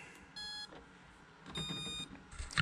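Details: RC speed controller that had red light blinking and no throttle, after reseating a loose connector: two clear high-pitched startup tones a second apart, then light clicks; arming normally, blinking stopped.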